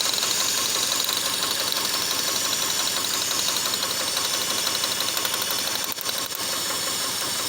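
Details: Boxer (horizontally opposed) four-cylinder engine running on only two cylinders: an uneven, lumpy beat of about three pulses a second with a rough, stumbling note; misfire causes being tested include injectors, spark and compression.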